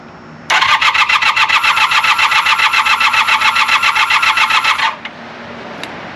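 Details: 1980 Honda CB400 T Hawk, non-runner, first start attempt after carb rebuild and oil change, choke on, fuel in carbs from bottle; steady starter cranking about four beats per second for four seconds, never catches: cranks but won't fire.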